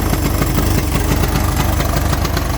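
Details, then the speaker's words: 1983 Honda 200E three-wheeler after carburetor removed twice and adjusted: lumpy uneven single-cylinder idle with irregular thumps and stumbles; still runs rough from a carburetor fault. "I've taken this carburetor off twice now. Done some adjusting. And it just still don't want to run right."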